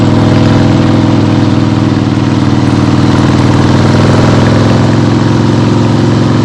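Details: 1975 Harley-Davidson XLH Ironhead Sportster, freshly rebuilt and basically stock, on a test ride with the camera clipped to the rider: strong, even V-twin beat pulling steadily, no knocks, misses or rattles; runs clean and healthy.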